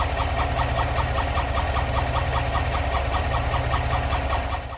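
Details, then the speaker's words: GM 6.2L/5.3L V8 truck idling with a steady rhythmic squeak two or three times a second from a failed roller lifter that had worn the camshaft lobe down, leaving metal shavings. "I've seen people where this gets really bad and chunks start actually breaking up. I was hearing a squeaking sound."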